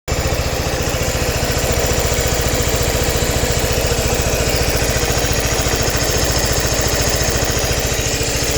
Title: Suzuki Burgman Ticking noise